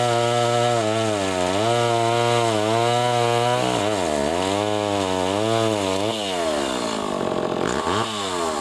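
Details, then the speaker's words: Pioneer 11-60 chainsaw after a long time in storage, with the ignition points readjusted and sanded, test cutting wood: it revs high and strong, the pitch sagging as the chain bites and recovering cleanly; healthy engine. "Oh seems to run for good actually I'm impressed I'm surprised that after all these years in storage which is running good"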